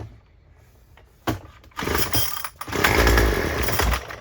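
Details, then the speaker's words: Craftsman WC210 two-stroke string trimmer after carburetor clean and rebuild (Zama C1U, RB-29 kit), primed and on choke: a couple of starter pulls, then it catches and buzzes rough and high for a second or two; engine firing on choke. "so let's see if we can get it started I got it primed put the choke on"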